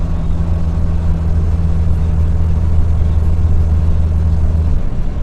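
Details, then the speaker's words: Truck after downshifting and braking: a deep, steady throbbing hum under the engine-brake drone as the air compressor cuts in, with pressure rising from about 11 to 12.1 bar. This identifies the noise as the compressor working. "значит вот это шум это именно компрессор начинает так работать"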